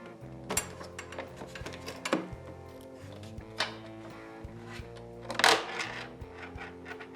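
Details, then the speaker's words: New Ridgid R4840 oscillating belt sander, unpowered, tipped and wiggled out of the box; irregular light metallic clicks and tinkles of a small loose screw rolling inside the housing. "i moved it and i heard something kind of rattle kind of wobble around rattle"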